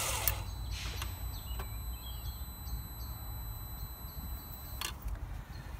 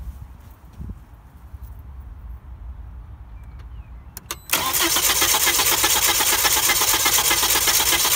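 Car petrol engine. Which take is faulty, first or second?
first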